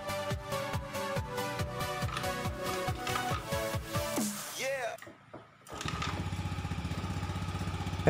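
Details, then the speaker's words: Honda Vario 110 FI after replacing the seized front CVT pulley bushing, test-run by kick start with the CVT cover on one bolt: steady, even engine hum with no scraping or friction from the belt drive; normal CVT operation. "dan tidak ada suara gesekan. Jadi, masalahnya memang terletak pada bushing tersebut."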